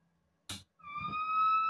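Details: Mesa/Boogie Mark IIC+ Reissue in its headshell: after a thump, a steady shrill whistle near 1 kHz rises and holds, preamp oscillation not heard with the chassis out; heat suspected, reverb circuit being checked.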